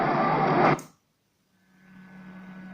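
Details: Cheap switch-mode ham radio power supply radiating carriers across the AM band, heard on a receiver as the NR-1 active noise blanker is switched: loud hiss cuts out, then steady low hum and faint high tone over quiet static.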